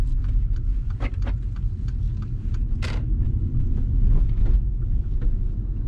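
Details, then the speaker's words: Mercedes-Benz Electric Drive (Tesla-built motor), about 96,000 km, test drive after motor repair; only road and tyre rumble, no whine or grinding from the drive unit: normal quiet electric drive. "no noise absolutely quiet running"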